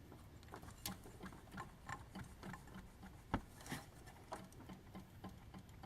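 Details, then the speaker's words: Jeep WJ V8 water pump, engine off, pulley rocked back and forth by hand: light irregular clicks about twice a second from play; owner says the pump bearings are shot, dry with no seepage, replacement planned. "we'll show you when we do the video when you start it it makes a very obvious noisy tells you your water pump is ready to go"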